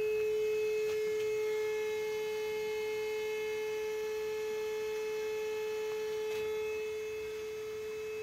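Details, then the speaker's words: Old Caterpillar unit that overheated, engine shut off: steady pure mid-pitched horn tone, like a ship's horn, from the radiator area blowing hot air; overheat warning horn keeps sounding, then fades. "parang bar parang busina ng bar angang tunog dito rator [Musika] m kit dito bumubuga ng mainit na hangin m kakit ito yung parang bumubusina sa radiator niya"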